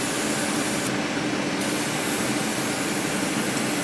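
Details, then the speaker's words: 2010 Audi Q5 3.2 running with a stopper and hose fitted at the intake for CRC intake valve cleaner; steady airy hiss of strong suction at the intake hose, good healthy vacuum. "all right so here's my setup if you can hear that it's got a good vacuum"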